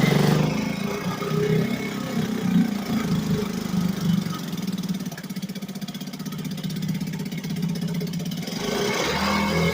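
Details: 1963 Gale-made Sea King 3hp single-cylinder outboard after a new water pump rotor, fired up once more; steady, quick puttering beat with a brief dip in speed but no knocks or grinding, running normally.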